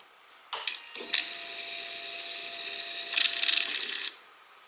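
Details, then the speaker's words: Suzuki GSXR 600 build at key-on: about three seconds of high whirring with rapid uneven clicks, then silence; noise earlier thought to be the fuel pump comes from another mechanism that may be working as intended, not confirmed. "Yeah, it's still definitely funky. That noise that I've been hearing, okay, that's really interesting."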